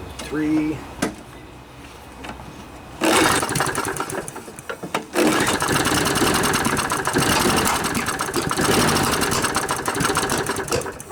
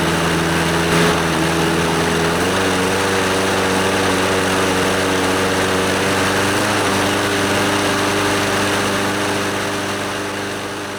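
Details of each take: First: Scotts lawnmower, Briggs & Stratton 6.5 HP OHV Intek Edge engine, sat outside all winter with water and sediment in the carb. After carb cleaning it catches after a few pulls but runs ragged and surging; owner blames the dirty air filter, and the spark plug was later found gooey. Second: Scotts lawnmower, Briggs & Stratton 6.5 HP OHV Intek Edge single-cylinder engine, after carburetor and fuel-system cleaning and a new NGK BKR5E spark plug: steady, even buzz with constant pitch, no misses or knocks; it runs pretty good.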